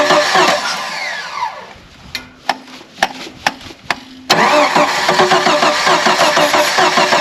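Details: Old Jeep YJ with rebuilt carb, dry bowls primed with carb cleaner, fresh battery: runs briefly, a few sharp clicks while cranking, then catches and settles into a steady, even run; a good start.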